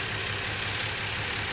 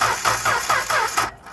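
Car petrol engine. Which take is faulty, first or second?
first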